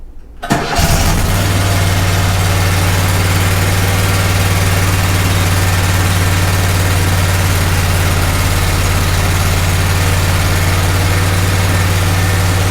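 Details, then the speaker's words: Kohler Command 18 twin after a budget rebuild including connecting rod cleanup, started without choke. It catches within a second and settles into a steady, even low idle with almost no exhaust smoke and no knock: normal running. "That is nice. It's a lot nicer than it was before. So I see almost nothing coming out of the exhaust pipe. The engine sounds healthy."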